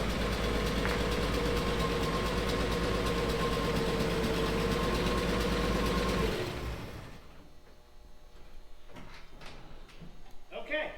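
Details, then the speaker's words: 1957 Chevy 4-door V8 pulling in and being shut off: a steady shudder about three times a second as the clutch is let out. Clutch chatter suspected, possibly rust build-up; a separate exhaust leak was also noted. "It's going to need a clutch. Oh, is it? Oh, the chatter is ter."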